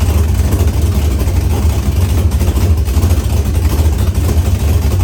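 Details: Chevrolet S-10 with LQ9 V8 swap, Holley Terminator X Max and Current Performance harness, first start with no transmission fitted: deep, steady V8 rumble with an even, unbroken beat, no misses or knocks; normal healthy idle.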